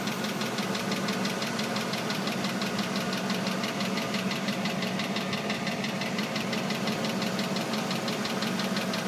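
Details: Oldsmobile Aurora engine: steady rotational clicking about three times a second over a smooth idle, changing with engine RPM, heard from engine bay and under the car; started suddenly, cause still unknown.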